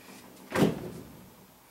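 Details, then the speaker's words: Sprinkler system zone valve shutting off causes water hammer, a single heavy thud with a short ringing tail through the pipe, before a screw-in Sioux Chief water hammer arrestor is installed. "you heard a thud next zone on the sprinkler system is even a louder thud we're going to try to get ready to that with a water hammer arrestor"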